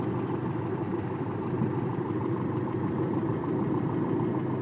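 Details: 1995 Toyota truck with 22RE EFI engine at idle after timing was checked at 5 degrees, test wires unhooked so the idle rises and timing reads about 12 degrees: smooth, even idle with a steady hum and no misfire or surging.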